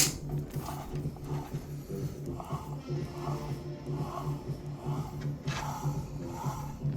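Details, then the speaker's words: Vortech supercharger gone bad. Loud, rough grinding whir with an uneven rattle about once a second. It still made boost, but it would eventually have torn itself up, so it was shut down for a rebuild. Supercharger grinding. "very loud. New, soft, quiet. So we know it still made boost, which is great. But just a loud, nasty noise, and eventually it would have tore itself up."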